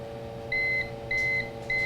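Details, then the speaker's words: Old UPS unplugged from the wall, running a PC under Prime 95 load: quick, high-pitched beeps about every 0.6 s over a steady hum and fan as battery bars drop fast; worn battery gives little runtime before the UPS dies. "This is an old UPS. So even though it works and you hear it beeping constantly, it's telling you, you don't have much time."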